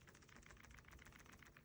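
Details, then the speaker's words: Samsung Galaxy S24 Ultra slim case: quick light plastic clicking and ticking as a finger rubs the loose power and volume button covers, which rattle too much. "they rattle way too much. And just, I have this gripe, it's a minor thing, but when you rub your finger on it, if the button rattles, like that throws me off."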